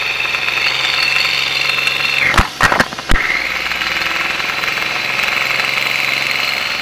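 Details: 1993 Geo Metro engine at idle after a Seafoam treatment: steady idle with a faint, regular light knock under a hissy top end; knocking present, source not evident.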